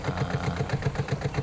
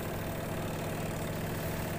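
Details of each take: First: Washing machine spin dryer running with a loud, rough, chopping rumble pulsing about seven to eight times a second, likened to a helicopter; something wrapped around underneath the spin drum suspected, not confirmed. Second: Washing machine spin dryer after fix, drain strainer cleared and grease applied: steady even hum with low drone, no wobble or helicopter-like thumping; normal spin.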